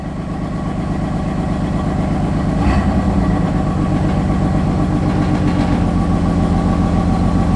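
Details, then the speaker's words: Cold start with no check engine light. Uneven, lumpy idle with a wavering beat and the engine shaking; rough idle. "The idle's really bad. It's on cold start. And it's shaky. Shaking right now, guys."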